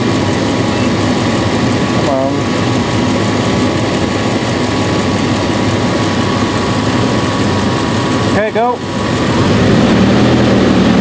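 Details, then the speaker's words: 1996 Dodge Dakota 3.9L V6 idling at operating temperature, about 110° radiator air at the thermal valve: a loud constant rushing fan roar that never eases; aftermarket fan clutch stays locked too long and too loud. "it shouldn't be that loud it shouldn't stay locked that long"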